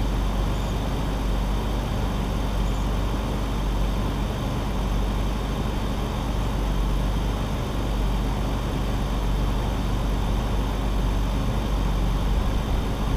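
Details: BMW E46 idling right after first start following three months sitting, plugs reinstalled with oil poured into the cylinders; steady, even low hum with no stumbles, knocks or hunting, a little blue smoke from the exhaust dump due to that oil.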